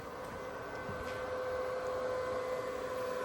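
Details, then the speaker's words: PUWU 110V 135A arc welder switched on at 135 A but not yet welding; its cooling fan gives a fairly loud, steady, even whir with a constant tone near 500 Hz and no knocks. Normal cooling fan running. "It's not even started. And it's the fan. You can just hear the fan. So, it's it's pretty loud."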